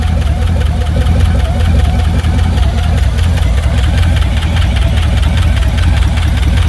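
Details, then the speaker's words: 1982 MSE Trans Am, Pontiac V8 swapped, first start after years in storage: steady rough idle with light even ticking at engine speed; owner suspects valve train knock, may pull the valve covers, not confirmed. "Sounds like it has a valve train knock. So, I might need to pop the valve covers eventually, but I don't really care about this motor."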